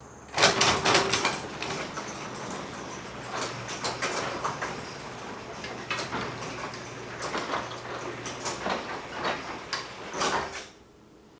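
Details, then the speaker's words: Garage door before tune-up, running with the opener: a steady hum and repeated clattering bangs as worn-out steel rollers jolt along the tracks. To be replaced with nylon ball-bearing rollers. "The first thing we going to do is replace the rollers of the [music] garage door. These are all the bad worn out rollers and we're going to put brand new rollers."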